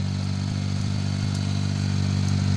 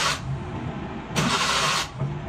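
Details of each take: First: Suzuki mini pickup with hard starting, stalling and low power, after temporary repair for a gasoline leak: steady, even low idle with smooth hum and no misses; normal idle. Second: Suzuki mini pickup, hard starting, low power and stalling: short bursts of cranking whir with no catch, engine turns over but won't fire; fuel check found air instead of fuel, fuel supply fault.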